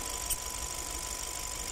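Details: 2015 Hyundai Sonata GDI with engine vibration: uneven, lumpy idle with an irregular low pulse and light ticking on top. Dead cylinder, with no compression in cylinder 4.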